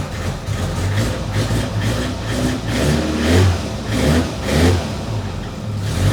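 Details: Fiat A112 Abarth running after long storage on a boat fuel tank, mechanical fuel pump disconnected, exhaust loosely fitted: runs on its own with a deep, throaty note and repeated uneven throttle blips; it fires up and revs.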